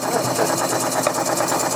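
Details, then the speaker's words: Small coal-fired model steam puffer boat engine on a pond: a quick, even chuff with no missed beats or knocks, running nice and smooth. "Sounds nice and smooth. Good engineering."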